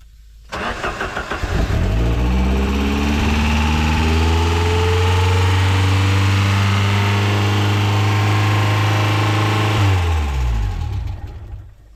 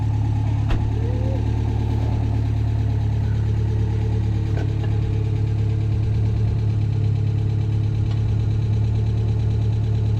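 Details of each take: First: Ford Sierra RS Cosworth first start after years hidden in bushes, fuel pump now working: cranks, catches and climbs to a strong, steady, deep rev, then drops off; revving a bit on first start. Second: Ford Sierra RS Cosworth, stolen and recovered, stored for years, first start after fuel pump work: steady even idle with deep low hum, slight over-revving, no clear knocks; sounds healthy after long storage.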